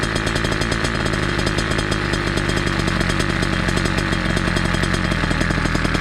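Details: Small two-stroke chainsaw-style pumper carb on a motorized bicycle, tuned from low screw 1 turn and high 2 turns out, idle adjusted down after running high: steady, even crisp buzzing idle with no hunting; idle properly set.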